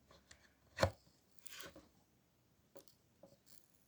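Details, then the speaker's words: Old three-socket power strip working normally until a second plug (charger, then TV plug) is added: irregular sharp snaps and crackles from inside, electrical arcing. "şu taraf iç taraftan ses geliyor cızırtı yapıyor"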